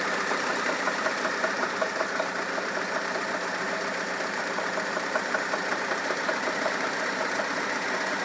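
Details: 2004 Kia Optima 2.4 L petrol engine idling at 1000 rpm with a light, regular knock, roughly two to three taps a second.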